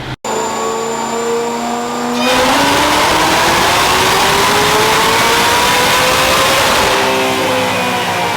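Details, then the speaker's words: 2004 Mustang Cobra Terminator with ported 2020 GT500 supercharger, smaller upper pulley, dyno pull: smooth climbing blower whine, no misfire, fueling improved; about 781 hp, 684 torque, about 16 psi boost with a spike up top. "Okay, fueling was much better that time. Let's close out a lot of these graphs. We got a crisp 781. .684 torque, and seeing about 16 pounds of boost with a little bit of spike up top."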